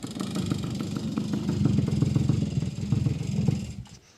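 Short burst of uneven motorcycle popping that builds, then cuts off sharply; the engine fires and runs normally before being shut down.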